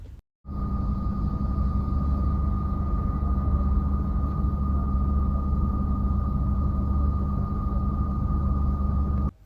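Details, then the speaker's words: 2021 Maruti Ignis petrol, about 20,000 km, idling and heard from inside the cabin before repair: a constant high whine over the engine, noticeable when parked somewhere quiet. The cause was a worn water pump bearing, fixed by replacing the pump. "നമ്മൾ വാഹനത്തിന്റെ ഉള്ളിൽ ഇരുന്നിട്ടുള്ള ഒരു noise ആണ് silent ആയിട്ടുള്ള സമയത്ത് ഈ ഒരു noise ആണ് വരുന്നത്"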